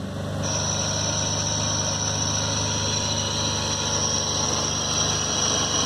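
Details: 2011 Ford F-150 idling, in drive with foot on brake: steady high-pitched whine over engine; vacuum pump corroded, replaced under warranty.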